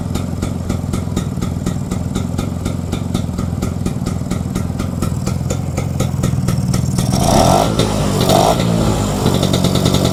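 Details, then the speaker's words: Vespa two-stroke that was bogging on the road, after cleaning the clogged carburettor jets and opening the fuel tap: steady even popping idle about four beats a second, revs cleanly and settles; normal idle. "Oke, Teman-teman. Mantap. Ini udah stabil ya."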